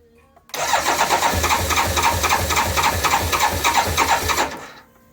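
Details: BMW K1200LT motorcycle no-start during component checks: steady starter churn at about four pulses a second for roughly four seconds, never catching or firing; cranks but won't start.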